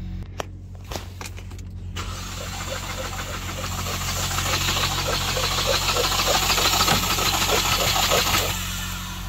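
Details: 2016 Ford Focus 2.0L compression test: starter cranks at about three even beats a second with no firing; cylinder 2 shows no compression.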